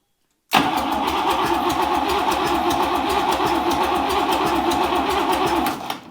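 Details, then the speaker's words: Buick 401 Nailhead rail dragster: steady even cranking about five seconds, never catches; timing light shows no spark, ignition issue; carburetor gaskets weeping fuel, rebuild kit on hand. "I have a rebuild kit for the carburetor so that'll be good but we are not getting any fire"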